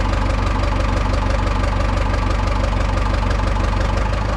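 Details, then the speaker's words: Cummins-powered Tahoe diesel just restarted after injectors were removed and manually cleaned for coking and black smoke: even steady idle, regular low chug about four a second, no stumble; black smoke gone even in gear under load; normal diesel idle. "it's completely gone even under a load when I was dropping it in gear previously you'd see black it's rolling out of the exhaust"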